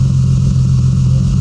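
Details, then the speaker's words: Supercharged BMW struggling to idle: a deep exhaust drone with a regular hollow gap from one cylinder not firing. The exhaust has two separate pipes without a crossover, and the owner suspects the misfire is on one bank. "but it's definitely a single cylinder misfire. I think you need to hear the exhaust where you can tell like there's definitely a misfire here."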